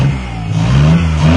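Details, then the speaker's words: Car diagnosed for a no-start, now running: engine hangs high and keeps surging in pitch instead of dropping to idle because the gunky throttle cable is sticking; it later frees up. "we got this car running seems like it's working now that when i first started it you could hear it was really revving out high rep and it's because the throttle cable is really gunky but it seems like it's freed up now"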